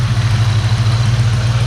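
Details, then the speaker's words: Ford SVT Terminator Mustang Cobra V8 after new bearings in all three belt pulleys: steady, even, super quiet idle with a low burble and no squeal. "okay so changed the bearings in all three of them listen to that [Music] super quiet super quiet love it"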